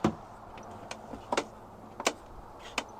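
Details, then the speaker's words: 2021 Ford Escape rental with just over 50,000 miles: door quiet until opened all the way, then sharp creaks and pops about every half second; the door check bracket is pulling loose. "you hear that noise that brings me to the first problem before I even step foot in the car let me give you a better look at what's going on the doors nice and quiet until you open it all the way now the source of that noise is coming from this that's called the door check bracket"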